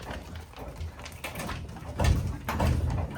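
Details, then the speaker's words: Mercedes drag car with OM606 engine: new rear shocks with only about 1.5 inches of travel bottom on the bump stops, dull thumps with squeaks as rear is pushed down; shocks to be swapped back to 190 ones. "You can hear it go squeak squeak. So, it hits pretty hard. So, it hits pretty hard. That needs to be fixed."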